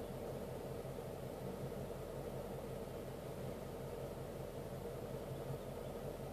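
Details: 2012 Ford Mustang GT at idle: quiet steady idle with faint low pulsing underneath; slight unevenness in the beat suggests a mildly rough idle.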